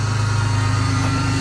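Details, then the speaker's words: Vehicle at idle: a steady, heavy whine from the front of the engine; power steering leak suspected, pump possibly low on fluid. "sounds like it's got a power steering leak heavy wine from the"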